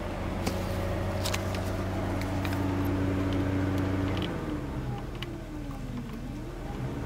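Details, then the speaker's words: 1991 VW Vanagon radiator cooling fan running properly on low speed at low temperature, switched on with the AC, after earlier staying on at high speed (fuse 30 pulled); steady low hum with soft whirring, no rattle. "it's working properly let's go outside and look at the radiator foreign at a nice low temp low speed it's hooked up that goes off"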